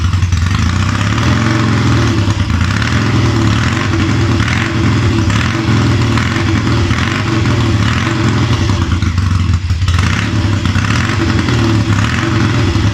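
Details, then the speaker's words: Triumph Tiger 90 350 with electronic ignition, first cold start after rebuild: revving unevenly with irregular firing and some clatter on pickup; ignition timing out, carburation probably slightly off, though it starts easily off a kick. "oh the oil's coming back and it's oh W time is out timing definitely feels out carburation is probably a little bit off but but it starts easy off a kick"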